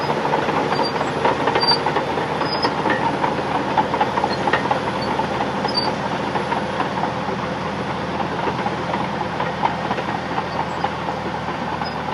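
Fast, irregular steel clanking as the tracks roll, with a few high reversing beeps; ordinary track chatter from a healthy dozer.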